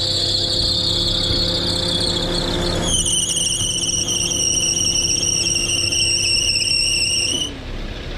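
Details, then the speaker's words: Perodua Myvi, engine warm, air-con on: loud, steady high-pitched squeal over idle without letup; slipping accessory belt, just before Toyo belt dressing spray was applied to the running belt. "Ini adalah nampak bunyi kuat. Eh ah tak nak buat nak berhenti. Kadang-kadang dia bunyi, kadang-kadang dia tak bunyi."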